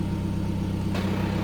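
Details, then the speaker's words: VW TDI diesel at idle after a DKM stage two single-mass flywheel replaced the silent dual-mass one. A light, rapid gearbox rattle rides on the firing beat once the clutch pedal is released. This is normal and typical. "so this is what the clutch pedal in and then when I let out you can hear the gearbox rattle very typical"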